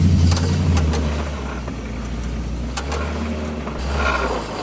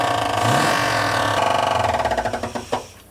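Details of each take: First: 1979 Chevy Camaro Z28 with a temporary 305 small-block V8 swapped in, first drive after the oil pan was refitted: deep, even rumble following the throttle, no knocking. Temperature about 200, oil pressure about 26; less kick than the 400. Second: Donor 305 small-block Chevy just swapped into a 1979 Camaro Z-28 makes rapid hard knocking about four per second as it fires, fading as it stalls; found that the crankshaft is striking the oil pan.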